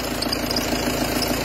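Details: Peugeot Partner 2.0 HDi 90 diesel at idle: light, irregular knock and chatter over the clatter; accessory belt tensioner pulley worn and misaligned with the other pulleys, causing slapping; worn accessory belt tensioner pulley.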